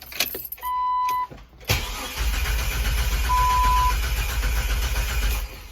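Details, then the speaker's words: Jeep Wrangler with the fuel pump relay pulled to depressurize the fuel line before replacing a noisy Fuelmiser fuel pump. After a door chime the starter cranks steadily at about four pulses a second without fuel, so no start. "Now the fuel pump relay's out, it shouldn't start."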